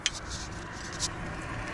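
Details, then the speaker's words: Lexus GS300 rear brake caliper shaken by hand: a few light, sharp metallic clicks from a loose pad retaining pin rattling after being cotter-pinned, the cause of a knocking from the rear hub area. "Хреновина у нас это, вот она шплинтуется, то есть вот зашплинтовали. И смотрите, вот такой вот звук хороший, брякающий."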